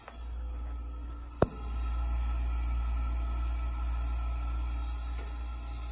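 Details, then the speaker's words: 1980s Super dehumidifier refrigeration test before restoration, Samsung 1/6HP reciprocating compressor, R-12, 120VAC 420W; original fan disconnected and a box fan used instead; sharp start-up click, then a low, steady, super-quiet hum with no knocking: the compressor is running normally. "so here is the compressor on it's super quiet all right so i can hear the refrigerant"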